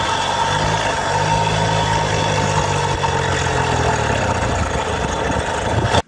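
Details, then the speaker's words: 1971 Motobécane N40 moped with an AV7 50cc two-stroke on its first start after restoration. It drones unevenly with a wavering note, then cuts out; rough running and cutting out, later blamed on an unfitted small carburetor gasket. "Tu vois une mobilette, ça fait un beau bruit là. Elle faisait pas un beau bruit."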